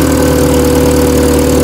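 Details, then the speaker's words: Toyota 4K engine just restarted after fixing wrongly fitted carburetor float: loud uneven lumpy idle, running rough and rich; flooding attributed to vacuum, vacuum lines to be redone, new distributor with vacuum advancer. "Lunod pa yan kasi vacuum. Ayusin pa natin yung vacuum lines."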